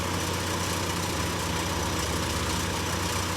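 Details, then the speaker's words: 2012 Chevy Equinox idling after a temporary patch on its cracked resonator, left to cure half an hour; steady low hum with no puffing or ticking, no leaks felt, quieter than before the fix. "Wow. Already I can tell there's a difference in the noise from before and now."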